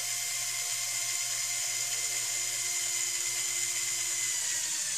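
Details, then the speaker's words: LEGO Technic Volvo L350F (set 42030) Power Functions motor raising bucket: high steady motor whine with gear chatter that strains just before the bucket reaches its top stop, warning of end of travel; not a fault. "you'll notice when you go all the way up to the top that you'll hear the motor start to strain before it bottoms out"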